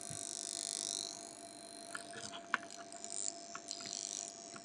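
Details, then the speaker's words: Chinese diesel air heater on a 12 V solar battery system, around glow-plug startup: faint, steady mid-pitched buzz from ferrite cores on the heater wiring, caused by the heater's pulse-width-modulation circuit, which also gives radio interference on 10 m and 40 m. "what all that noise you'll notice it on 10 m a lot and on also on 40 m you'll see it so uh it is caused by the pulsewidth modulation circuit"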